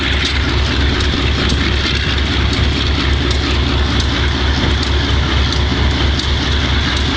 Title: Wimpy Mtl B30-7 with bad injectors